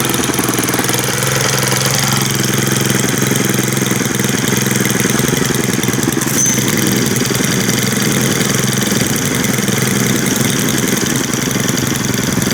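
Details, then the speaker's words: Brand-new Stihl two-stroke string trimmer at first run after idle speed raised slightly: even, buzzy idle with steady pitch, no stumbling or dying out; normal idle. "That sounds better."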